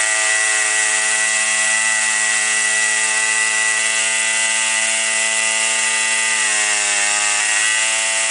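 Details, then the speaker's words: Warmed-up two-stroke weed trimmer, string out at cut line for load, high steady wail sags and recovers as the low-side mixture screw turns clockwise then counterclockwise to bog points; set midway at highest smoothest rpm, finally slightly rich. "turn it clockwise until it starts bogging down a little bit and then turn it counterclockwise until it starts bogging down a little bit and then you want to set it in the middle where it's running at the highest and smoothest rpms"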